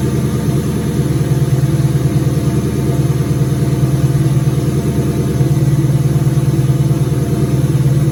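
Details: 2003 turbo Mustang Cobra V8 idling after reinstall with new valve cover gaskets, about 55 psi return-style fuel, intercooler cold-side pipe disconnected: deep loud even burble, steady beat around three per second, no misses or ticks; normal idle.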